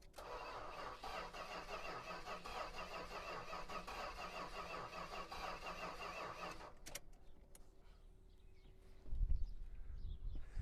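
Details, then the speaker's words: 1973 Chrysler Imperial LeBaron V8 after years in dry storage, on a booster pack with wiring damage: starter spins briskly with a steady, even beat about seven seconds; healthy cranking, no start expected. "Well, sounds good turning over. Don't think it's going to take a ton to get this running."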